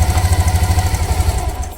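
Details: Old Bajaj Pulsar 150 single-cylinder petrol bike idling just after kick-starting with choke, following about five to six months standing: even, quick low thump that holds steady then fades; normal idle.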